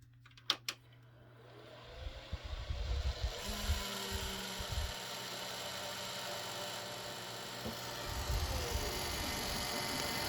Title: Computer Grinding Noise